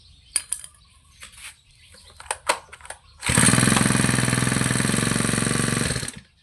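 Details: Thai brush cutter small two-stroke after carburettor cleaning and idle and mixture tuning: catches after a few pulls and runs at a steady, even high buzz, then cuts off cleanly; normal running.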